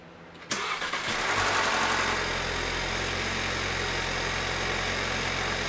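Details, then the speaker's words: 2015 VW Passat 1.8 TSI EA888 Gen 3, after 60k-mile spark plug change, engine cover off: starter whirs briefly, catches at once and settles into a steady, even idle with no misfire or ticking; coil pack connector tabs broken. "all right so everything sounds like it's running smoothly that's good we shouldn't have any issues"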